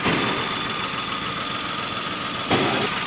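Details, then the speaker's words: Datsun Go petrol engine at idle: rough, stumbling beat as one cylinder drops out; the coil connector reads 8.67 V supply, wiring fine, ignition coil suspected; misfire from faulty ignition coil. "तो ये कनेक्टर पे ओके है, वायरिंग में कोई दिक्कत नहीं है। इग्निशन कोयल में डाउट है कहीं ना कहीं।"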